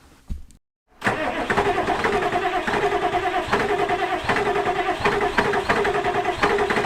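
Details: 1986 Ford F250 with turbo 7.3 diesel, cold winter morning during a long northbound road trip: short crank, then catches into a loud, clattery, uneven idle; hard cold start.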